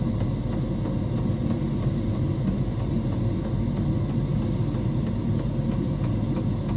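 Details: Diesel heater in a homemade fox box at full temperature, 87 °C at the heater pipe outlet: steady low droning hum with even whir, no knocks or surging; burning smoothly at full output.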